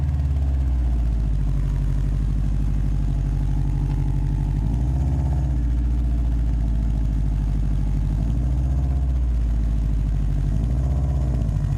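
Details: Subaru WRX at idle, before repair: deep idle with a rapid puffing flutter and turbulence riding the exhaust note, swelling periodically; exhaust leak at the downpipe to cat-back flange, later addressed with a flange adapter.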